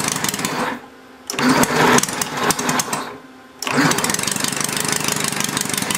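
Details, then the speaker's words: Homemade inline four-cylinder Briggs engine on a temporary throttle. Two rough cranking bursts with ragged firing chuffs, but it never catches. The owner thinks the carburetor mixture needle still needs adjusting: cranks but won't start. "okay it sound like it's going to start you just got to figure out the right mixture"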